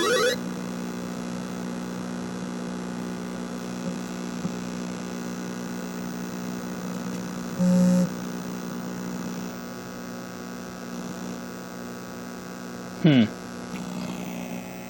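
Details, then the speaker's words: Super Pac-Man arcade PCB, coin-up now working: loud steady low hum under the game sound the whole time; unclear whether the audio amp or the 74LS257 chip at 3F is causing the bad audio. "I don't know if it's the amp or that chip or something's making that sound terrible but at least the coin up is working"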